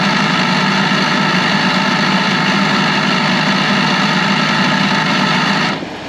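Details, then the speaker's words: 2012 Ford F150, before repair: harsh steady buzzing drone over the idle from the electric vacuum pump behind the driver's side wheel well; faulty pump to be replaced. "Alright guys, the pump is behind this in the driver's side wheel well. I'm going to start it so you guys can hear what it sounds like."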